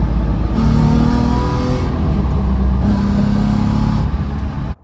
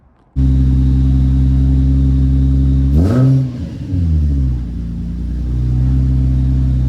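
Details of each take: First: Two smooth rev pulls with an even, deep drone and no rasp or rattle from a VQ-swapped Nissan S13 240SX after exhaust rework with 90-degree bends and a new bracket; exhaust now sounds tidy, like a performance Z. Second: Deep booming drone at idle that swells sharply on two blips from a VQ-swapped Nissan S13 240SX with stock headers, no cats, 2.5-inch glass packs, a 3-inch Y-pipe and a muffler without silencer; loud, annoying exhaust.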